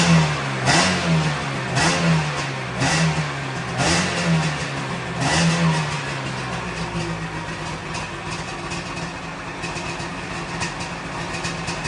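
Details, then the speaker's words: 1997 Sea-Doo XP 800 that sat for several years, carbs reassembled from pieces, after carb adjustment: sharp throttle blips about once a second, then a steady, even idle with clean pickup; much closer to normal. "That was much closer to running normal. That was much closer to running normal. That's what I'm talking about."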